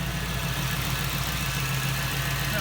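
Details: 1998 Jeep Wrangler TJ with 5.3 LM7 V8 LS swap from a 2003 Chevy Tahoe, first startup after fixing fuel pump and wiring: steady, even low burble with no misses or knocks; normal idle.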